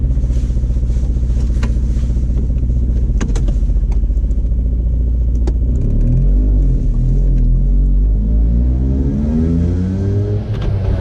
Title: Ape50 weird engine sound